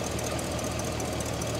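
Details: 1969 Cadillac Eldorado V8 with 21,000 original miles, running after about 20 years: even, rapid idle pulse with a steady beat and no misses or heavy knocking; a healthy idle while the voltmeter shows it charging at 13.2–13.3 V.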